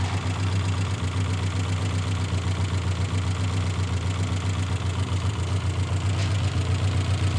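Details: Old Austin/Morris van after fuel system work: steady even low idle with a regular beat and no misses or knocks; the engine ticks over smoothly.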